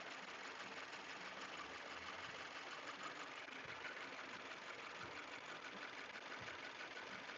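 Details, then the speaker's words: 2018 Subaru Forester XT warming up at idle, just out of warm-up mode; light fast metallic chatter over hiss, not fully regular and not constant with engine rotation, new since recent days; owner suspected lifter or roller rocker issue; undetermined. "it's like a little bit of chatter it's not constant with engine rotation which is weird"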